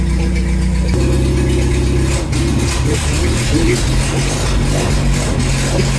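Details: Renault R2087 (Goélette) 4x4, first start in a long time after engine rebuild, alternator and electric fuel pump fitted, weak old battery: steady, even idle with a smooth low rumble, no knocks or misses; runs cleanly, normal idle.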